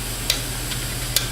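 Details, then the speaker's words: Opened failed IDE hard drive powered on: sharp dry clicks about twice a second over a low steady hum as the head hits its stopper, unable to find data — click of death. "so you can hear it hitting the end it's not finding any data on the drive and this drive has actually failed"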